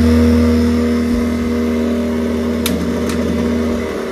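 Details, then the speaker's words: Worcester combi boiler with case off: loud droning fan, rough like a tractor, steady low hum that sags; the fan ramps up on hot water and the boiler cuts out at full speed; worn fan needs replacing. "So what would happen was you'd run the hot water, it'd stay on for a minute, the fan would ramp up, and when it got to full speed, cut out dead. Dead. But it sounds like a tractor, like really loud."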